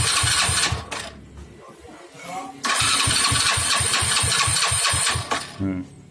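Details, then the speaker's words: Honda Astrea Grand motorcycle on electric starter with a new battery: starter spins the engine at a normal, even, brisk pace with regular compression pulses but it never fires; cranks, won't start, so the starter itself isn't the fault. "Namun, benda itu tetap berputar tanpa menyala."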